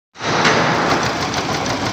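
Rough, uneven idle with an irregular stumble through the whole run; sounds like a cylinder dropping out, a misfire. Cause suspected, not confirmed.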